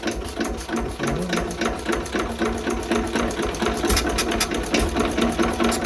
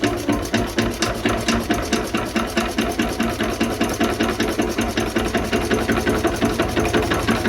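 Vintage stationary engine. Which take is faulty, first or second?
first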